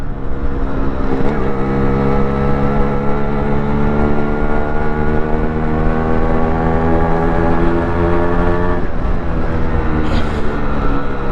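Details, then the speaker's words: Restored Yamaha RXZ 5-speed two-stroke motorcycle being ridden: a crisp two-stroke note rising smoothly through the revs, clean and even with no misfire or rattle. It sounds soothing and is running healthy. "ನೋಡಿದ್ರಾ, ಈ balance ಇರಬೇಕು ಗಾಡಿಗಳಲ್ಲಿ. ಎಂಥ soothing sound ಗುರುವೇ."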